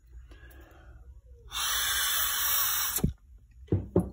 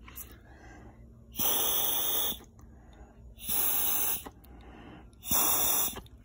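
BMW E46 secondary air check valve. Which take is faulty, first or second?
first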